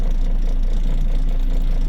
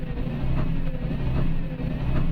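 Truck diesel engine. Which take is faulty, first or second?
second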